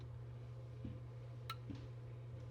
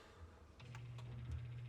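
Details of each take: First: KitchenAid fridge (not cooling, freezer fine), air damper/flapper WPW10594329: steady low hum with a couple of soft clicks as it opens and closes, no cracking noise. Normal damper operation. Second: KitchenAid fridge not cooling while freezer works, damper (flapper) motor WPW10594329 commanded open: low steady hum with faint clicks but the flap stays shut; stripped damper motor gears, damper motor being replaced.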